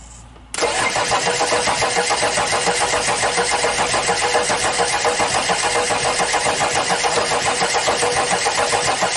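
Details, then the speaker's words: Audi diesel unused at least 12 years, external fuel supply, pipes opened to bleed air, injection timing advanced: starter cranks steadily about 3.5 turns per second, no firing; won't start, air in fuel lines suspected. "All right, wait It will work now I'll open two more pipes to let the air out"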